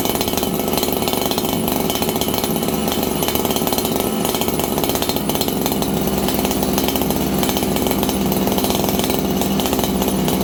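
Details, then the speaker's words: Farmertec 288XP kit chainsaw running lean on a cold day, about 5 °C, just after an ignition repair and spark plug swap; thin, high buzzing scream with no burble or four-stroking, before carburetor tuning. "This thing's running lean right now, and the reason is, friends, it's like 5 degrees Celsius."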